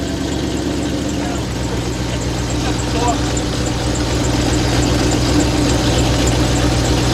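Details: 2001 Dodge Ram 1500 with the 5.2 V8, which has multiple problems: deep, heavy rumbling idle with a steady throb and a raw, loud exhaust tone. The mechanic dislikes how heavy it sounds; an open or missing muffler is suspected, not confirmed.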